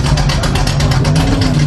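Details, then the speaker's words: Ford Mustang Eleanor V8 during an engine noise measurement, exhaust exiting under the passenger door: deep lumpy, loping idle with a chuffing beat; the car shakes and seems to run on only three, then two cylinders; cause unconfirmed. "sa opýtať prečo sa to auto tak trase Ide to len na tri valce iba na dva teraz"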